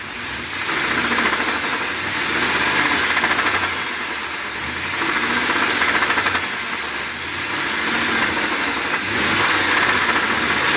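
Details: 2020 Ford F250 Tremor 7.3L V8 after dealer oil pump replacement (SSM51330), idling the night before it seized: a hard, fast deep knock at about three per second, sounding serious.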